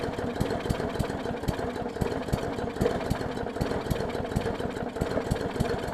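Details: 2014 Bolens push mower with Briggs OHV engine, wrong spark plug and missing carburettor jet ball plug, leaky needle and seat; very flooded, lumpy uneven running with irregular stumbles and misses, choking on excess fuel while purging; running rich.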